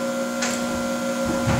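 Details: RC-1AU universal battery charger charging a 12 V battery, voltage rising from 12.9 to 13 V: constant mid-pitched electrical hum with faint clicks, getting quieter as it pushes less; normal charger hum.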